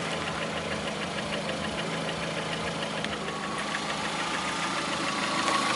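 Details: Lada Priora, 2009, 37,000 km: engine started knocking about 500 km after Suprotec additive was added; sharp metallic knocking about three per second over a steady running note, internal engine knock, cause suspected, not confirmed.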